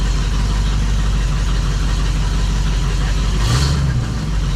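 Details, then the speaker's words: 1972 Dodge Challenger just fitted with a rebuilt automatic transmission and new torque converter: a deep, steady low rumble with an even beat and no knock or miss. Smooth idle, though a knock was noted when first starting. "yeah the motor seems smooth"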